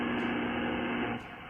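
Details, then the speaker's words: Astron RS-35M DC power supply connected directly to a ham radio. Steady buzzy hiss in the receiver that drops sharply partway through; RF interference sounding like 60 Hz hum appears across many frequencies, e.g. around 2.82 MHz. "you really hear if you're in anywhere near one of these frequencies you really hear it it sounds like 60 HZ interference and this is just everywhere"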